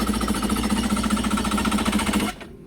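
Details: 2003 Kawasaki Ultra 150 jet ski after its failed stator was replaced with a used one from another ski (it previously ran strong): a fast, even starter chug turns the engine over, but it never fires. Cranks but no start.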